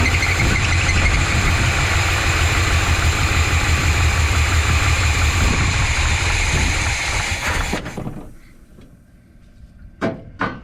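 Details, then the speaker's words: 1985 GMC C25 gasoline engine, run without choke after idle was raised because it would start but not stay running: turns over, runs lumpy and uneven for several seconds, then dies; rough running, owner suspects timing is off. "think that timing's no good. There's probably some problems in here."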